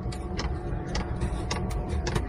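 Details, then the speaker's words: Chinese parking heater, first start after summer: ignited and running with a steady low rumble and the dosing pump ticking about every half second; normal running, though no exhaust smoke is visible yet. "Sie hat auch schon, sie hat schon gezündet. Man hört die Pumpe. Die Pumpe klackert. Die Heizung läuft."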